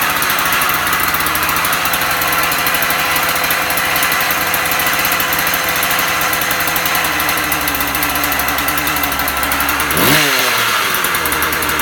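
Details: Husqvarna 36 chainsaw after impulse-hole repair, warming up outdoors: high buzzy two-stroke idle holds steady, climbs cleanly to revs and drops back evenly, no stumble; runs healthy, restarts first pull.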